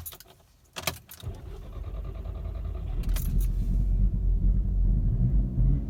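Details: Mk6 GTI hot restart after being driven to operating temperature and then off about 15–20 minutes: keys rattle, the starter cranks briefly, then the engine settles into an uneven, wavering idle that can stall. This happens randomly and the cause is unknown.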